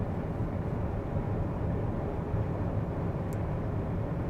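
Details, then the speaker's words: Lixiang, hum in wet weather at 130-140 km/h: steady low droning hum under road and wind roar at highway speed, resonance from air ducts; taping one side moved the sound to the other side. "Прямо в разы из этих воздуховодов идёт 100% прям резонанс и звук вот отсюда мы там заклеили звук пошёл с другой стороны"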